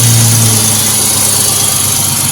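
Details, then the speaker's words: Mustang V8 with headers, started off a jump pack: loud, steady burble with an even beat and no tapping or misfire; healthy idle. "Sounds good. Well, get started once a while. Still ps like a kitten. Those headers don't hurt."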